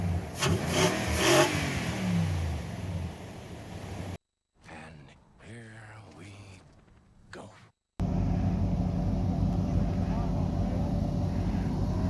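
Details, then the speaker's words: 2011 Nissan Armada V8 with aftermarket exhaust, stock intake before K&N cold air intake install: deep blip that settles cleanly into a steady, even drone with no knocks or rattles; normal revving. "just want you to hear i do have my exhaust done sounds pretty good but let's see what it sounds like after i do the intake system"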